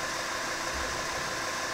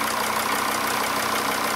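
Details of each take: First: Mercedes CDI 270 diesel, before injector replacement: rough idle with uneven beat and occasional stumble under steady hiss; diagnostics showed third injector working very poorly, also a faulty intake manifold flap. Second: Diesel engine at idle after the fuel injector was replaced: an even, steady clatter of about three beats a second with no misfire. The car still would not start when hot, and the fuel pressure regulator sensor is next to be replaced.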